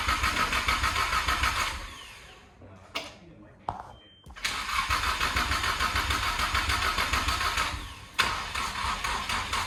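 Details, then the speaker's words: Lexus SC300 on open headers after a fuel-leak fix: starter churns steadily at about three and a half turns a second but the engine never fires; no fuel pump prime because the harness was left disconnected. "Zach, turn it off first and see if if we hear the fuel pump prime. Did you connect it back in? He didn't put the harness back in, guys."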